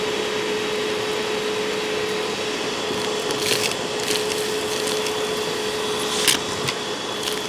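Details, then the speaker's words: Hoover WindTunnel self-propelled upright vacuum, a curb find, with plenty of airflow so the motor is judged good. Strong, steady hum at a constant pitch with rushing air and occasional debris rattle. Normal running. "well you know it certainly has plenty of airflow I'll give you that so the motor is in good shape"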